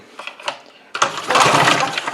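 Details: Trash-found Briggs & Stratton 3.5 HP flathead push-mower engine, spark plug out, blade brake spring released, cylinder likely full of oil: quick rope pulls then faster whirring spin-over with no binding; engine turns freely.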